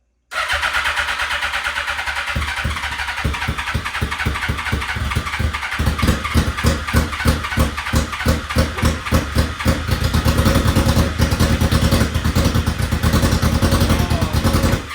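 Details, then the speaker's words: Suzuki GSXR 1000 being rebuilt, first start-up: engine catches and idles with an uneven, lumpy, stumbling beat, like running on 2 cylinders; rough running, cause not determined. "That's running rough. Yeah. That's like 2 cylinders."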